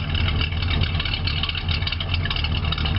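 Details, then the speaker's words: 1976 Pontiac Catalina V8, about 115,000 miles, Turbo 400 automatic, 4-barrel carb, heard at the tailpipe; steady even low rumble with smooth idle rhythm, no misses; healthy idle. "car does run pretty good. It's in pretty good shape for"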